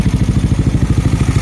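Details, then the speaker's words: Yamaha Nmax scooter engine after a shop rebuild fixing a cracked valve-guide head and cracked cylinder base with a re-sleeved cylinder, partly assembled, test-started to bleed the pink coolant. Even steady low putter with no knocks or ticks. Normal idle after rebuild. "แล้วเพราะว่าเราไม่ได้ประกอบครบทุกอย่างนะครับแค่ลองสตาร์ทนะครับแล้วก็ไล่น้ำนะครับน้ำนิ่งๆนะครับ"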